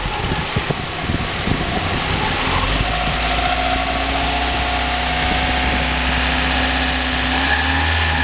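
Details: 1990 Mazda Miata at idle with an uneven light rattle continuing through small rev changes, separate from the HLAs; persists with 93 octane, so not pinging; owner wonders if HLA, rod knock or spun bearing; source unconfirmed.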